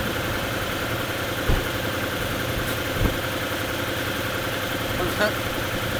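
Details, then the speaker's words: Knackered Lexus LS400 V8 engine-donor car with many MOT failures, just after first start: lumpy, uneven idle with a dull thump every second or two, possibly not on all cylinders; rough running. "I think that's even started on more than half of its cylinders by some miracle."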